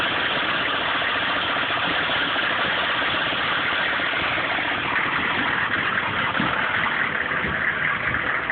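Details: 1995 GMC K3500 6.5 turbo diesel, 78,000 miles: lumpy rough idle with no steady beat. It misses mostly under full load at driving speed, stalls when the throttle is lifted and is hard to start at times. Owner suspects the PMD or injection pump; codes stored.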